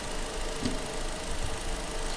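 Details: Fiat Palio Fire 1.0 2014, warm, after rethreading the cylinder 1 spark plug seat where a cross-threaded plug leaked compression causing a scraping-like noise: even low idle with no scraping or hiss; normal idle.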